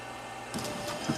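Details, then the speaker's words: 2005 Volvo XC90 Turbo, 80k miles: wiper motor suddenly whirs with light rattle with no command, stalk does nothing; suspected central electronics module fault; wiper motor running on its own. "wow so the wipers have a mine of their own the stock doesn't do anything so that's probably through the central Electronics module"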